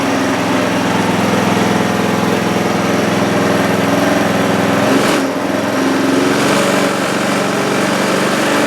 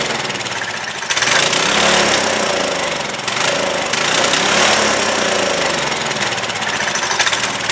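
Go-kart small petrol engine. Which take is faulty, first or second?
second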